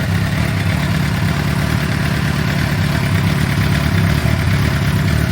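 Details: 2006 Suzuki GSX-R750, over 5,000 km since last service, oil warming toward 60 °C before oil change: steady, even idle with smooth low thrum, no ticking or knocking; engine healthy.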